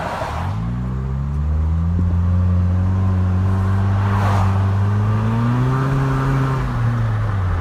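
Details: 2013 Nissan Versa with exhaust snapped at the flange, before a temporary sleeve repair: loud raspy drone rising and falling with revs, exhaust escaping through the broken flange.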